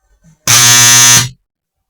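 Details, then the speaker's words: High-power transformer energized briefly on 110 V with loose, bent core laminations: loud harsh steady buzz under a second from the coil vibrating, nearly a short circuit; laminations must be clamped tight. "então aí deu para você ver que esse esse barulho de vibração é o barulho da bobina vibrando aqui"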